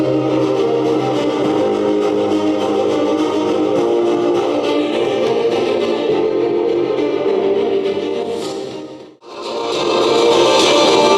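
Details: JBL Charge 3 speaker that crackled at loud volume, tested after a new battery was fitted. Music plays clean and full with no crackle; the fault was the battery. Normal playback.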